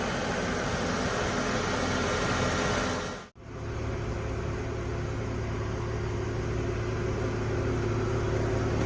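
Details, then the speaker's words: 1970 Ford F100 idling after its charging issue was found: a soft, even idle with a steady low hum and no knocks or misses. It purrs, quiet like a sewing machine. "I don't know if you can hear that or not, but purrs, and it's just quiet. It's like a sewing machine."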